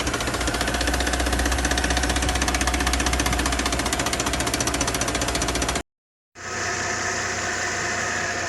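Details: Mercedes-Benz M272 V6, before repair: fast, even knocking near four a second over the idle; piston slap from scuffed cylinder bores.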